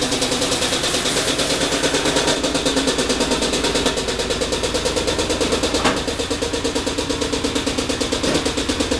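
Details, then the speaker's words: Ford Windstar minivan running with a broken connecting rod, before engine replacement: rough idle with a heavy, uneven bang about three times a second over a hissing exhaust leak; rod knock. "this thing is you heard it sounds like absolute [ __ ] I don't think it came over too well on my camera"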